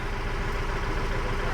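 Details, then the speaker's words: Mahindra Bolero diesel at idle after start-up, with the warning light on. The clatter has a slightly uneven, stumbling beat. The scan shows P0203, injector circuit cylinder 3, so this is a misfire at idle from the cylinder 3 injector circuit fault. "ये start हो गया। ये देखो miss मार रहा है और ये लाइट आ रहा है ना, ये लाइट आ रहा है और ये देख सकते हो गाइस मिस मार रहा है।"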